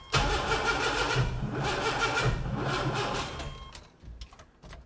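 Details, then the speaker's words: Junkyard 4.3L V6 with cam and turbo, in an AWD S10 pickup; steady rhythmic cranking about three beats a second with fuel and spark but no firing; plan is fresh spark plugs and rechecking timing. "I'm going to put a fresh set of plugs in this thing and triple check the timing and we're going to get her fired up in the morning"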